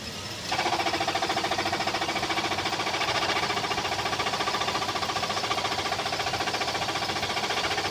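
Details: Toyota Tacoma at idle: quick, even tick-knock of roughly three to four beats a second over the engine; engine knock of unknown origin.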